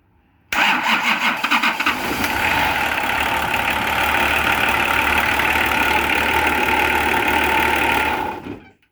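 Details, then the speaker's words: Nissan LD28 diesel, glow plugs heated a few seconds first, cranks briefly and catches cleanly into a steady, even clatter; it starts easily once the fuel shut-off solenoid problem is found and sorted. Healthy start. "Right, I did not expect that to start as easy as it did. I didn't actually expect it to start. I expected it to start spluttering."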